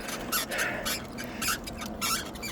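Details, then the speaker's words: Aipas M1 Pro eBike, about 90 days old, climbing in gear one under load with a 03 error code; high chirpy squeaks repeating with each pedal stroke, source in rear suspension or frame suspected, not confirmed. "Squeaky squeaky squeaky squeaky. So much fun."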